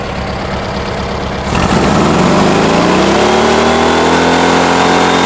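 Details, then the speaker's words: 1971 VW Bus 1600 with newly installed dual 34 ICT carbs and exhaust, mixture screws being adjusted; steady idle, then a clean rise in pitch to a smooth, even held rev; carbs sound balanced; normal idle and rev. "right on 30. This exhaust always sounds good. I'm happy with it."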